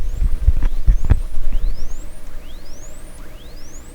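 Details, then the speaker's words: 1929 Templetone radio speaker, microphone close up: thin, faint rising tone sweeps about once a second under handling thumps, like distant birds; cone not connected to voice coil, so output is tiny. "so the problem now is the sound is really small because there's no cone connected"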